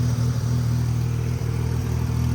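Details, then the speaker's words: Mazda FC RX-7 rotary driving after a suspension knuckle install: a deep rotary rumble with a raspy, chuffing edge from a massive exhaust leak that needs fixing. Exhaust leak. "Got a massive exhaust leak, you could literally hear it. Got to get that fixed."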